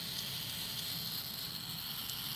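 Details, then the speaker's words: iRobot Roomba i3 spinning-brush motor removed from the robot and bench-tested with a 9V battery: a thin, steady high-pitched whir with no catches or rattles, so the motor spins freely and is good. "and see that it's spinning so we know the motor is good if the motor was not it wouldn't spin"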